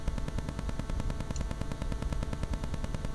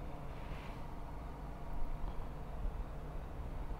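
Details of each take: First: Rode VideoMic GO near Wi-Fi or a mobile phone: a rapid, even ticking buzz over everything from radio interference before the mod; wrapping the mic capsule in foil removes the ticking. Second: Rode VideoMic GO after a DIY shielding mod against Wi-Fi and phone signal interference: only a soft, even low room rumble with no rhythmic thumping; the mic now records cleanly without interference.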